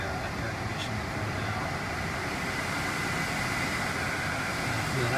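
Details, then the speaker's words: 2010 Mercedes C300 after AC/heater blower motor replacement: steady even rush of air with no ticking, squealing or wobble; blower runs cleanly at full speed, heat and AC working. "so i'm going to start it up and i hear the blower already crank it up it looks like all the connections are good"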